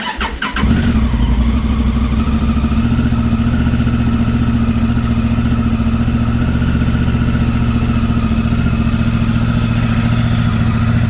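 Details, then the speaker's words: 2019 Honda Africa Twin CRF1000L first start in almost six months after a sticky throttle was fixed, battery not charged: catches within a second and settles to a steady, even idle with no knocks or misses, starting better than before. "the bike runs uh didn't have to charge battery it fired up better just now that that you saw in the video there uh than it did uh previous to that"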